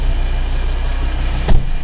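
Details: Volvo V70 2.4D P3 diesel idling smoothly, steady even low rumble with no misfire or stumble; car otherwise has intermittent misfire and shaking blamed on faulty injector wiring loom.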